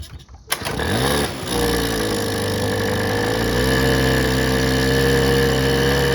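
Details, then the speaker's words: 1984 Honda Aero 50, a 50cc two-stroke scooter, on its first start in 5 years with a freshly rebuilt carb. Kicks over a few times, catches, and settles into a steady buzzing idle with a rising tone; smokes a little. "boom got this thing running it smokes a little bit but"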